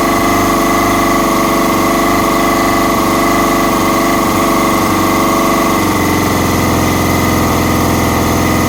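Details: Kawasaki ZX-6R revved, then choppy uneven idle with staccato popping; sounds lean, owner suspects a vacuum leak, unconfirmed.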